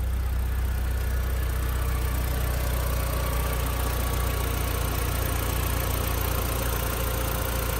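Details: Audi TT 1.8 turbo after 8 years in a barn, fuel system fully rebuilt, first start after high-RPM initial run; smooth, steady, very quiet idle with even low hum, no knocks or misses; normal idle.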